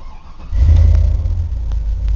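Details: 2000 Chevy Silverado Z71 V8 4WD, 243,121 miles, transmission has lost high gear, catalytic converters cut off and service engine light on. Starter cranks briefly, then the engine settles into a deep, even idle rumble. Normal start and idle.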